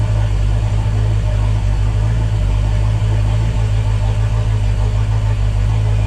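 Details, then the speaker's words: Volvo Penta 5.0 GXi V8 cold start at 21° coolant, 12.1 V, after new TPS and MAP sensor, lower fuel pressure regulator: deep loud idle with uneven lumpy beat, runs slightly better than before, then stalls; rough running. "started seemed to run a little bit better than before my high pressure fuel uh was around the 40 to 50 so I am raring a lower pressure with that different fuel pressure regular on there but again only ran a bit stalled"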